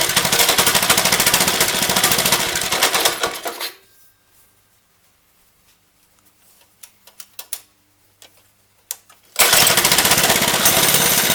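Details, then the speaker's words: Lifan 2.5 hp single-cylinder go-kart engine, started with starting fluid: rattly run for a few seconds, dies with pull-cord clicks, then restarts; it wouldn't keep running because the choke was flipped the wrong way, now set off. "okay I think I got it figured out I was flipping the choke the wrong way chokes off now"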